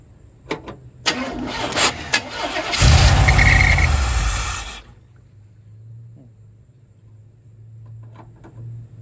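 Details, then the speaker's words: Engine with a newly installed carburetor fires, revs briefly and dies within about two seconds; owner suspected the alternator and lost spark, but voltage read 12 volts, so cause unconfirmed. "this one would fire up initially and I'll demonstrate that here in a minute and then it'll just die."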